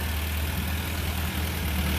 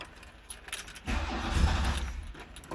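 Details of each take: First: 1975 VW Scirocco stored 34 years, warming up after cleaning the idle jet, with three vacuum leaks and a drippy accelerator pump found: steady, smooth idle around 800 rpm with no misses or knocks. Normal idle. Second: 1975 VW Scirocco out of storage 34 years, first start: fires briefly, fades and dies, restarts and revs but won't idle; needs choke, battery light on (no charge), oil pressure present; rat debris found.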